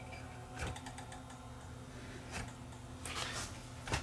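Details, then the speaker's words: Panasonic PV-S7670 S-VHS VCR with the picture shaking badly: a quiet whirring spin broken by irregular scraping rubs about every second from the head drum; head drum motor rubbing from debris on its magnet. "I think this drum might be shot I mean that sounds like something is rubbing on the the Head drum"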